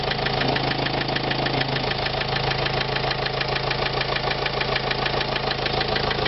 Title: СТУК двигателя на Renault Trafic 2005 1.9 DCI